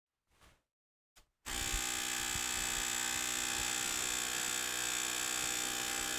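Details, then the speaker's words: Emerson computer's 5.25-inch floppy drive, full of dead spiders: a couple of soft clicks, then a constant harsh buzzing grind from the drive mechanism. The drive is unhappy but working; owner suspects the stepper motor lubricant, cause unconfirmed. "Yeah, that noise means it's working. Well, at least it doesn't have a belt. I suspect the stepper motor lubricant is..."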